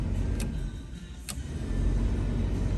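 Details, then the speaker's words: Bronco with a 7.3 Powerstroke diesel being prepared for snow wheeling: a steady low whooshing blower rumble with no grinding or squeal. The fan runs normally for defrost. "We have fans, and that means we have defrost. Let's go."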